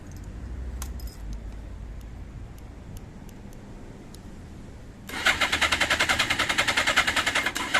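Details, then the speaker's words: 1982 Suzuki GS650GT first start attempt after delivery, old fuel of unknown age, tank tap on reserve, choke cable broken and disconnected: battery good, cranks evenly at two to three beats per second but no fire; owner thinks it may need more fuel. "it might just need more fuel battery seems good cranking well but no fire right couldn't get to run could not get it to start"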